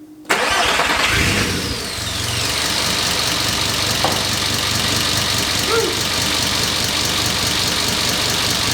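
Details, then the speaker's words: Porsche 944 with turbo 07K five-cylinder swap, first start after priming oil pressure, no coolant yet; cranks briefly, catches cleanly, settles into even quiet idle without knocks or misses; normal start and idle. "It's so quiet compared to what my car was."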